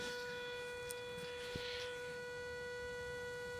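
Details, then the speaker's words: Modded TDI Pro detector with noise-reduction mod, hot soil near a transmission tower and power lines, gain at maximum: clean steady tone over a tiny wire piece about 40 mm off the coil, no crackle; excellent sensitivity. "that's what I just found tiniest tiniest little piece of wire I've ever found so the mod Works still got excellent sensitivity"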